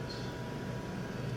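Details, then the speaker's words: Small 5 V cooling fan added to a restored Commodore VIC-20, own supply drawing about 200 mA, mic very close to fan: steady even airy whir with faint constant hum, no ticking or rubbing; a bit noisy close up, barely audible from seating position. "a little bit noisy but from a normal seating position you can hardly hear it it's like ambient noise in the background"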